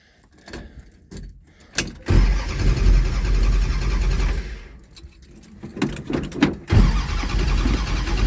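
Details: 1975 Dodge Dart after a new gas tank was installed and fuel primed into the carburetor: the starter turns the engine over in long pulls but it never fires, so spark is checked next; cause unconfirmed.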